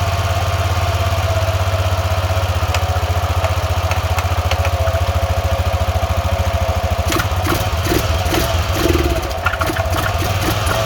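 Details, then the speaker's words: 2000 Arctic Cat 500 4x4 ATV, Suzuki 500cc single with a used replacement crank, after the rebuild; fast, even thumping joined by an irregular metallic clatter and heavy exhaust smoke; owner suspects the clutch is seized or a clutch washer was missed. "does not sound good oh it's starting to lock up yeah that clutch is seized up in there maybe it'll self clear"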